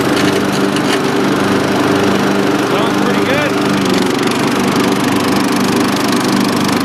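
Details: Dynamark riding lawn mower after carburetor cleaning, driven outside to test the long-unused deck: steady, even single-cylinder drone with constant pitch and no knocks, misses or surging; runs healthy.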